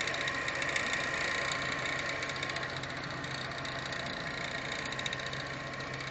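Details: BMW E46 M3 at warm idle with a quick, regular metallic knock, three or four per second, over the engine hum; seems to come from one side, and the owner wonders if something got caught or blew up inside the intake.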